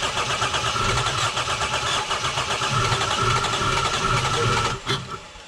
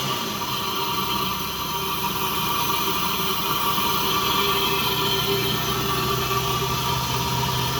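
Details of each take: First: Lexus GS300, 2JZ-GE: the starter cranks briskly, about four beats a second, with no catch or firing, so it cranks but won't start. The cause was a faulty ECU with leaky capacitors. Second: Lexus GS300, 2JZ-GE, after replacing the leaky ECU capacitors: an even, steady engine note with no misses, knocks or hunting. It now runs better than it did a couple of years ago.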